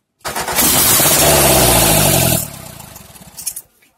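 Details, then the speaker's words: Morris Minor engine with the exhaust manifold removed, started on starting spray in the intake and firing out of open ports: very loud, raw, crackling bark for about two seconds, then it dies away. "let's listen to morris minor open headers"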